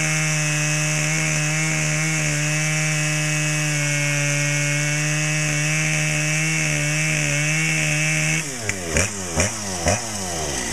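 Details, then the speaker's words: Brand-new Dolmar PS-7910 chainsaw, full wrap, 28" Sugihara bar, LGX chain, factory carb settings, a little warm: steady high two-stroke scream at even revs, then pulling down in rhythmic pulses as the chain bites wood; a healthy saw. "but other than that uh starts some runs real good I was really surprised"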